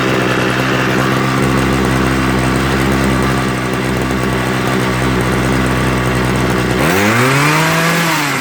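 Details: Homelite 26cc hedge trimmer two-stroke after carburetor and fuel line service, warmed up and being tuned. It holds a fairly even high buzz, then revs swing up and back down while the needle valves are adjusted. Unstable running.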